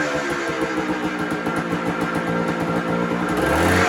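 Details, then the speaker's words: 1980 Suzuki RS250T two-stroke enduro, very original, with crisp even ring-a-ding firing that pulls cleanly on light throttle blips; runs well but smoky, owner suspects a leaky base gasket. "we'll get it fired up you can listen to her she sounds really really nice"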